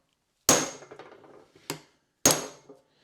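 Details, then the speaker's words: Mercedes W126 300SE front hub: three sharp metallic hammer taps driving in a new grease seal with a bearing race and seal driver tool, each dying quickly with a solid dead strike, showing the seal fully bottomed out. "is it sounds like it's bottomed out I'll give it another couple of TAPS just to make"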